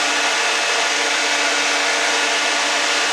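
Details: Dodge Dakota electric radiator cooling fan after a ground issue was fixed and tightened: loud steady airy rush with faint constant tone, no rattle or wobble; spinning up fine.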